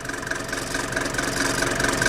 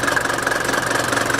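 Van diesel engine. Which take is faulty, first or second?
first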